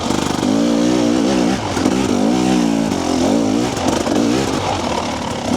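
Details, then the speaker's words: Two-stroke TBI dirt bike on its stock fuel map at low speed on a technical trail, before a TSP ERM ECU remap: uneven burbling exhaust with repeated dips and stutters as the throttle is feathered; rich and blubbery low down. "these bikes are kind of notorious for being rich on the bottom and blubbery and I'm hopefully going to show you that in a few minutes here's the guys you can hear that burble there that's what I'm trying to tune out hear that stutter"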